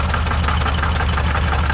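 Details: 2005 Lincoln Aviator V8 idling with a sharp, regular top-end ticking knock, about five or six a second, from the passenger side, traced to a damaged hydraulic lash adjuster.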